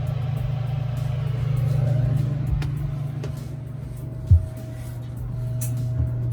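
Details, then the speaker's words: Crew cabin marine air conditioners on a 1988 Hatteras 65C coming on after a control upgrade: a steady low hum with a faint even tone above it, and the equipment-room vent is already cold. A normal startup. "there it goes right that's good there's actually two vents there's this vent in the equipment room that's already cold nice"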